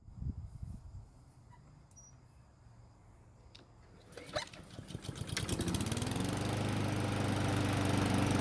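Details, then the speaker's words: Honda mower after fixing oil leaks: valve cover resealed, bolts torqued next day in over 90°F heat, valves checked and adjusted. First start after repair catches in about four seconds and settles into a steady, even run. Runs great. "Luckily, it started up with no issues at all and it ran great as well."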